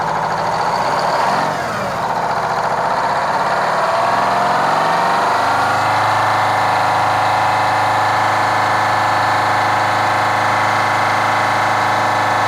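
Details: Kenworth cabover diesel truck with a fuel problem: lumpy, uneven beat about three times a second under the diesel clatter at idle; the owner judges the third cylinder back on one side needs a new injector.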